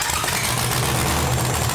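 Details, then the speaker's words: First fire-up of the LS-swapped Chevy S-10 burnout truck, fuel pressure about 30 psi: loud, lumpy V8 idle through open headers that sounds healthy, but there are small leaks and no water flowing in the radiator hose (water pump or thermostat suspected). "all righty so first fire up pretty crazy sounds pretty good but we have a little leak in the back little leak up here"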